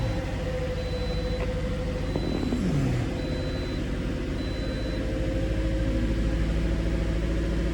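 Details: Low idle throb with an uneven, stumbling beat, the rhythm dropping out now and then; a cylinder misfiring at idle on a Toyota, with no misfire count showing on the scan tool.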